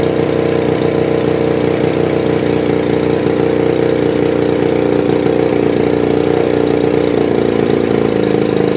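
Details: 1981 Evinrude 35 HP two-cylinder outboard, gearcase off, weak starter, number two spark plug pulled: choppy lumpy beat around 200 per minute; running on one cylinder; compression 150 psi both cylinders, starter to be rebuilt or swapped.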